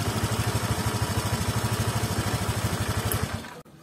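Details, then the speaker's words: Automatic scooter engine, owner says it sounds slightly coarser when hot but normal when cool: hot idle with even, slightly coarse pulsing about three beats a second, no knock or rattle; normal. "tidak ada keluhan tapi suara mesinnya kalau panas itu sedikit lebih kasar tapi kalau sudah adem normal"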